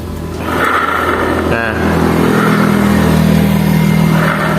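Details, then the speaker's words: Honda Vario 110 carburetor scooter, used purchase: rough grinding drone from CVT belt drive as revs rise, smooth with the clutch removed; indicates a damaged clutch (secondary pulley) bearing. "ya kan kasar berarti menandakan untuk menandakan untuk bearing being kampas gandanya ini udah rusak"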